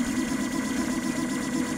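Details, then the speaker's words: Citadel Mendel 3D printer at 120 mm/s printing a gator clip: steady mid-pitched stepper motor buzz pulsing as the head circles, even and unbroken, normal at high speed. "let's give it a listen hear that the buzzing sound that happens as it goes around and around and"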